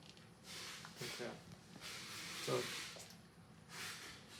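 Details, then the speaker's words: Mallard 2800 anesthesia system leak test, pressured to about 50 cm H2O: a soft airy hiss comes and goes in short puffs. Air is escaping where the test plug is not seated firmly enough. "it's a little harder to get a seal I can still hear the air a little bit to this one"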